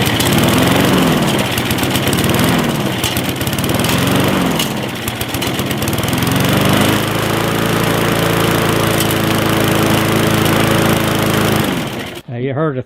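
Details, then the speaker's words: Gas lawn mower that wouldn't start after sitting with untreated fuel, run with a hand over the intake: it hunts and surges, then steadies as it draws fuel and clears the carburetor orifices; surging from restricted air intake. "as I was putting my hand over it pick it back up again with what it's doing it's drawing gas out of the gas tank because it's cleaning out the orifices that are in there"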